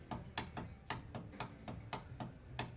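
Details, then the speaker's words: 2009-2013 Subaru Forester front passenger power window: motor fed with a power probe gives sharp dry clicks, about three a second, over a low hum, but glass doesn't move; faulty motor or window regulator. "i can hear it clicking but it's not doing anything so there's something going on with this motor or this window regulator"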